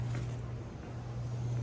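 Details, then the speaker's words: Ceiling-mounted air conditioner blower after replacing a blower wheel that had thrown a blade and run out of balance: smooth, even low hum at one steady pitch, no wobble, rubbing or knocking; new wheel and motor running balanced. "nice nice we're blowing we're blowing quiet smooth that's what we want"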